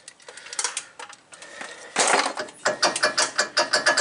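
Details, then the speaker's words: 2017 Ford F-150 4WD after front wheel hub replacement for ABS codes C0031: quick run of ratcheting clicks as vacuum is released, ending in a firm snap as the hub locks onto the drive axle; vacuum hub lock engaging normally. "now the drive axle is engaged to the hub so that's all good and again to disengage it I'm going to pull a vacuum and it disengages that Hub and that's how that works"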